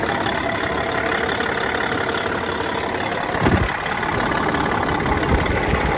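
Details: Caterpillar C15 ACERT diesel just after exhaust manifold replacement: steady, even idle with busy clatter, no puffing or ticking exhaust leak; normal idle.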